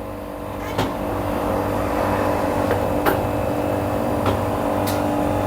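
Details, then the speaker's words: Midea 7 kg top-load washing machine after replacing its control board with a Super General board, direct spin selected: steady low motor hum with clutch clicks as drain pump and clutch engage before spin; working normally. "Now you can hear the noise. Drain pump, drain motor, clutch assemble, everything is catching. Now it will start spin cycle, because we know motor, inlet valve, pressure sensor, everything are perfect without any problem."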